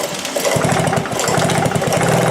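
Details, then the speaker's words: Old moped being pedalled over with a BP5HS spark plug fitted: quick steady knocks under the engine fade and return, intermittent and strange; source not yet found, owner plans to take it apart to look. "all right so you probably heard at the beginning it was knocking and then you would have heard it vanished which is very strange"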